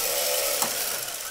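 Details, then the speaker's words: B9 robot arm rail system driven by a Sabertooth 32X2/Kangaroo X2 motor controller: steady motor whir with one sharp click and jerk at end of travel. The drive cable wraps on itself and flops onto the lower layer; harmless but annoying. "it it flops off itself and it creates a little bit of a jerk so I think I need to uh take this apart and um somehow alleviate that so it won't wrap on top of itself and fall off the top onto uh onto the bottom layer"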